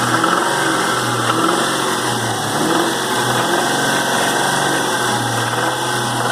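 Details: 2001 Mustang Cobra 4.6 4V V8, 78,600 miles, revving and settling to idle: faint steady knock underneath that appears at light load; cause unclear.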